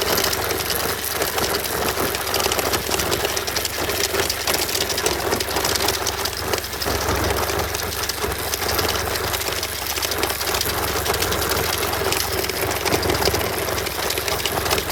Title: BMW F800R 2018 Rattling-Noise (Rasselnder Kettenschutz)